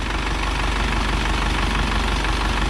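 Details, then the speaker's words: Isuzu NPR diesel that sat for years, started after fixing a fuel leak with a new filter and priming/bleeding. Fires right up to a steady, even diesel clatter with no misses or knocks and no warning lights. Healthy normal idle. "Sounds good. That actually sounds really good."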